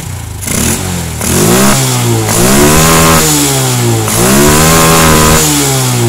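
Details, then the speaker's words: Carbureted Honda Revo Absolute/Blade after the air screw and idle screw were adjusted for fuel economy: crisp throttle blips that climb and drop back cleanly to a steady idle. Normal revving. "Kemudian kita setel di bagian baut langsam ya. Nah, ini kita setel. Nah, ini udah pas."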